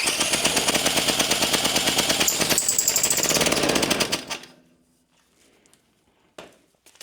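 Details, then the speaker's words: Antique David Bradley walk-behind tractor, previously seized single-cylinder engine, poor carburetor: rough uneven running about three beats a second with a thin high squeak before dying; owner suspects the reused head gasket leaking, possibly a bearing. "unhappy oh you know what the squeaking sound is I think that's the head gasket I bet you that's leaking yeah since I reused it"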